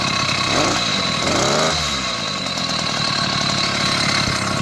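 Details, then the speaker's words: 80cc Chinese two-stroke motorized bicycle engine with ongoing carburetor problems, running cold. It revs unevenly, sagging and stumbling under throttle; it bogs while cold and runs rough however rich it is set, though better than before. Cause not confirmed. "No matter how rich I get, it doesn't seem to run right. But it's running better than it was, as you can"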